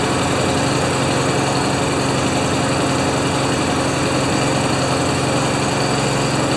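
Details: Craftsman mower with Honda GCV190 engine, neglected and not starting before, started on choke after puffs of blue and black smoke: steady, even buzzing run with no misses or surging.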